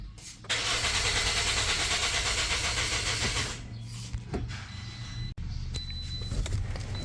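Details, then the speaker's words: Toyota Corolla Grande 1.8 after battery was replaced for a flat one: steady cranking about three seconds, never catches, with ignition and engine light on; fuel pump suspected, no fuel at the pressure pipe, no power reaching the pump. "जब battery लगाई तो गाड़ी Surf दे रही है start नहीं हो रही है स्विच जो है वह ऑन हो रहा इंजन साइन ऑन हो रहा है।"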